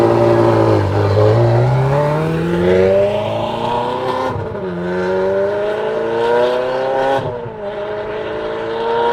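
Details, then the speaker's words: Ferrari F430 on a road test after the pops-and-bangs tune that caused surging was removed: strong, clean pulls with pitch climbing smoothly through each gear and even lifts between them; no stumbling or surging. "well it sounds like it's not doing the surging so that was the problem is the original tune they're trying to do some of the pops and bangs"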